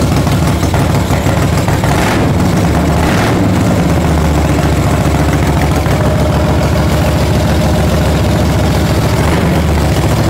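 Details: 1975 Moto Guzzi 850T sitting over 10 years, first start after carb clean on two-stroke-mixed fuel, oil unchecked: deep even low thumping twin at idle, quick blips then steady; normal idle.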